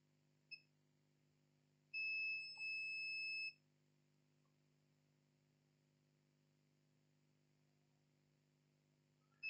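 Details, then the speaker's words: Lenovo IdeaPad 320-15ISK laptop motherboard with no power, 19 V at charging port: steady high multimeter continuity beep on the current sensor to ground, showing the main 19 V power rail shorted to ground. "you can hear the beep 0 on the current sensor here have a current sensor here is biing with ground that mean the main 19 Vol power line is to ground okay"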